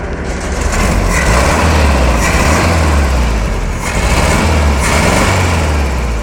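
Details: VW Beetle air-cooled engine tested with a timer after rebuild: loud, throaty idle with steady beat and slight lope, no knocking or clatter; runs evenly, normal idle.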